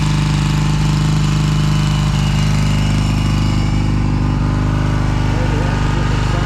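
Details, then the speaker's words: 1982 Honda CB450SC Nighthawk twin with Magna exhaust pipes, cold start with choke: steady low burble at idle, even firing, no knocks; normal cold idle. "I haven't started it today so this will be a cold start"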